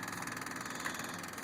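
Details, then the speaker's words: Supercharged Honda Valkyrie with 2 Brothers cams and exhaust, choke on, key on before starting: rapid steady light clicking of the electric fuel pump priming, normal. "If you can hear that clicking in there, that's the electric fuel pump."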